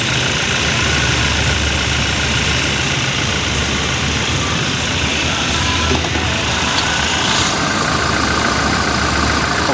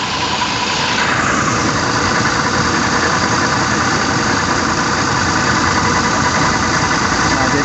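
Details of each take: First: Toyota New Fortuner VRZ idling with AC on after compressor repair: steady even hum, growl gone at the compressor and no longer heard in the cabin; normal AC compressor operation. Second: Toyota New Fortuner, AC on, idling, heard close to the compressor at lower left: rough gritty growl ("ngorok") under the engine sound, abnormal, and smooth when disconnected.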